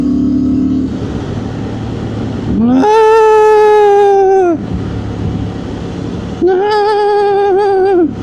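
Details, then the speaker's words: 2025 Honda Transalp 750 on stock Karoo Street tyres around 97-100 km/h: clear humming whine rises in pitch, holds, then drops in two bursts over ride noise; tyres singing at speed. "And it's like on a motorway and when there's no ambient wind noise, that's what it sounds like."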